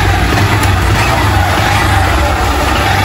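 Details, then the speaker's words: Honda Fan 160 motorcycle on first start after an engine rebuild for an engine noise, having had a badly worn piston and the connecting rod checked: a steady low single-cylinder putter with an even beat and no knock or rattle; normal, like-new idle. "Caramba, olha a lenta da moto aí. Zero. Perfeita."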